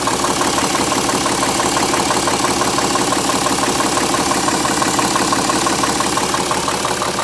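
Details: BMW E70 with N57 diesel at idle: steady idle with an even, sharp knock about three times a second riding over it; engine knock, cause not yet traced.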